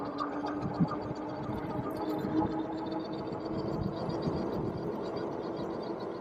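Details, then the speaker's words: Vetanya Bison 750W hub-motor fat-tire class 3 e-bike, 20x4 tires, cruising: steady high whine at even pitch over riding noise; motor controller whine, not the tires. "Yeah, it's the controller making that noise, not the tires."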